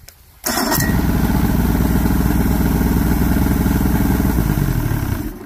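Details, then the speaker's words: Johnson J150 outboard that wouldn't shut off with the key. After swapping coil packs the motor runs at a steady even burble, then dies cleanly when the key is turned off; fixed. A bad coil pack is suspected. "the key works now so I'm pretty much good to go those were the things that were hanging me up was it wouldn't kill the boat it wouldn't kill the motor"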